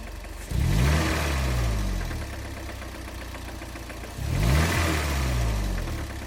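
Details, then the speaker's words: 23-year-old Toyota sports car that used about two quarts of oil in 2,000 miles: two quick revs bring out a deep, rapid knock following engine speed. A long left turn starved one side of oil, spinning a rod bearing. "That's right. Taking a sustained left turn like I did at the speed limit, of course, had starved one side of the engine of oil, and I had spun a rod bearing less than 2 months into ownership of the car."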